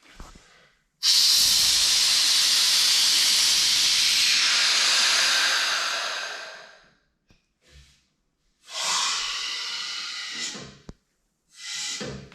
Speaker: So now that I've basically got this thing aired up, I gotta air it down, and this thing's not very fast, so.